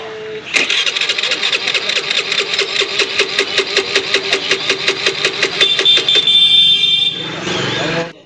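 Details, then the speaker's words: Honda Grazia scooter: electric starter spins briskly at about five even beats a second but engine never fires; it starts on the kick but not on self-start. "तो जैसे कि दोस्तों आपने देखा हमारा self round ले रहा है पर स्कूटी स्टार्ट नहीं हो रहा है"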